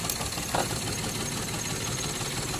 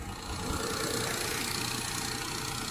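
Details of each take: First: Perodua Viva with strong engine shake and rpm hunting when the aircon is on: slightly uneven, shaky idle, and unplugging the second ignition coil makes no difference, so that coil has failed and is causing the misfire. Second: Perodua Viva after replacing a damaged ignition part, previously shaking hard like a misfire, with rpm hunting when the aircon is on: steady, even idle with no stumble or shake; normal idle.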